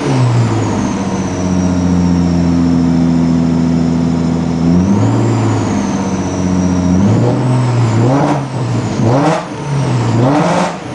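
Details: 1996 Ford Probe GT, KLZE V6: uneven revving with the note stumbling and popping, misfiring even on light revs after earlier exhaust backfires at high rpm. Plugs are a month old; owner suspects the old, melted plug wires.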